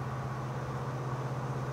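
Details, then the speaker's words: 1965 Chevrolet Malibu SS Muncie four-speed after rebuild, test drive in 4th gear: steady smooth coasting hum with no whine on deceleration, acceleration or coasting; earlier 4th-gear noise was caused by excess play, fixed with shims. "I have deceleration no noise acceleration no noise coasting no noise we got it all right too much in play caused that noise"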